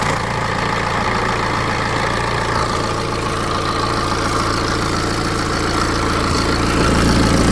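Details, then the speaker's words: BMW 320d N47 diesel at 181,000 miles, cold start: dry, fast metallic timing chain rattle for about five seconds over the diesel clatter, caused by the upper timing chain tensioner, before its replacement. "So hopefully you could hear that for about five or so seconds the chain was rattling."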